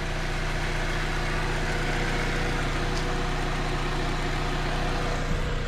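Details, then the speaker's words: 2007 Saab 9-3 Convertible idling with a steady, even low hum, no misses, knocks or ticks; car had been sitting outside, coolant good, oil not bad; running really nice and smooth, normal idle. "all in all as you guys can tell it is running really nice and smooth"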